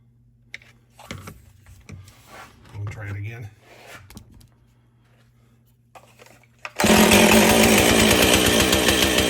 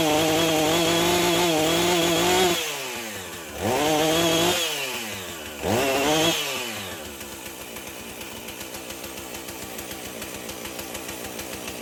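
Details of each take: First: Husqvarna 450 two-stroke chainsaw after rebuild and swap to a Hipa spark plug: quiet handling, then fires and holds a loud, crisp high rev; running healthy. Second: Husqvarna 450 two-stroke chainsaw after rebuild, new 50-gauge chain, full choke, NGK plug: surges, sags and bogs repeatedly before stalling; owner suspects the Hipa coil, tries a different spark plug first.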